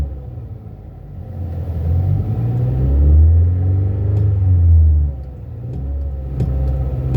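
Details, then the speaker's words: Car in park, revved with the gas pedal during checks after a no-start that was blamed on the battery: a deep rumble climbs with throttle, holds, then returns to idle without stumbling or dying; sounds good. "Everything sounds good when the engine is revving up, so it goes back down. I'm not hearing no stalling in it."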